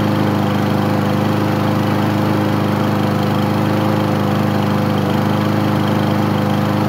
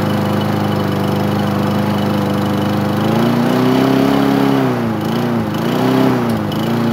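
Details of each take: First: Craftsman lawn mower, first start after 9 months of storage: small single-cylinder engine running at a steady but somewhat uneven, rough beat and smoking heavily; owner says it needs an air filter. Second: Craftsman single-cylinder lawn mower engine on its first start after 9 months of storage, wiring held with electrical tape and zip ties: steady firm hum, speed rising and dipping slightly; running normally.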